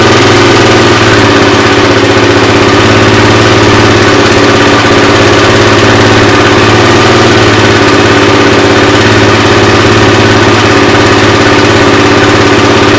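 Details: Suzuki LT-R 450 quad after CDI replacement, battery charged, air filter off, choke likely on: single cylinder settles into a steady, fairly even idle with a low thump and no misses or knocks; carburetor seems fine; normal idle.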